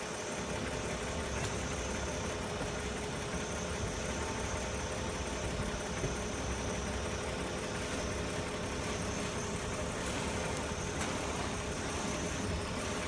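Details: 2011 BMW 535i after replacing the passenger-side lower control arm, idling with steering wheel turned: steady, even idle with no squeak or creak; the previous front suspension squeak is gone.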